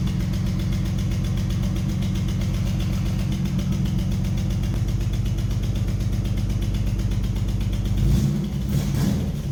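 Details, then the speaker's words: 1988 Nissan 300ZX (Z31) with junkyard VG30E engine, first start after install: took a while, likely priming fuel; rapid even puffing tick at idle following firing, rising with revs; engine sounds healthy but has an exhaust leak, to be fixed. "First crank on this motor. It took a little bit because I think I had a prime with fuel. But other than that, I mean, it sounds healthy. It has an exhaust leak, obviously, but that's gonna get taken care of here afterwards."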